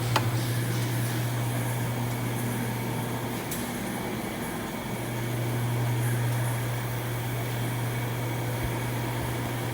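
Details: Toyota Corolla after replacing both worn stabilizer bar bushings that had play and caused suspension noise: steady low cabin hum, no knocks or clunks. Quiet suspension after repair.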